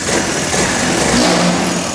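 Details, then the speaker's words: Honda Navi scooter just fitted with a Reveno CVT clutch kit (2.5 lb lighter than stock), clutch cover on: starts and revs cleanly with a smooth rise in pitch and no audible clutch rattle; sounds good. "All right, let's start it. Sounds good in there. If you notice, you can't hear the clutch."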